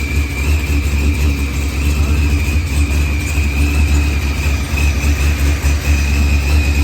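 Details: Dodge Challenger with supercharged LS swap and zoomie headers, after blown head gasket and fuel pressure sensor fixed, firmware V6 220, timing 27° (target 28°), idle leaned: steady even rumble with constant whine, no knocks or misses; idles smoothly.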